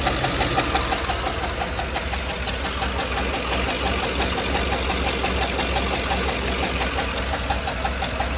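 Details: GM 6.2L L94 V8 after a cam swap, at idle: steady sharp tick about three times a second from a damaged roller lifter riding the cam lobe, caused by cheap non-OEM lifter trays letting lifters twist above 4500 rpm.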